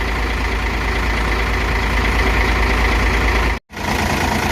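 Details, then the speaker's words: Hino J08E 6-cylinder truck diesel at 600,000 km, valves never adjusted before: after setting the over-spec clearances back to standard, a smooth, quiet, even idle with no valve-train tapping. "เสียงก็เงียบลงนะครับหลังจากที่เราปรับตั้งวาล์วแล้วเครื่องเดินเรียบนะครับ"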